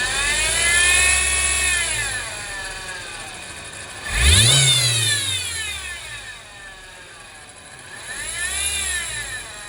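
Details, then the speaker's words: 2019 Honda Civic revved twice: whirring, rattly whine rising and falling with revs from a worn auto belt tensioner bearing; the drive belt is also badly cracked. "क्योंकि मेन इस गाड़ी का जो टेंशनर है, जिसको auto tensioner बोलते हैं, जो कि बेल्ट को टाइट करता है, उसकी ज़्यादा आवाज़ आ रही है।"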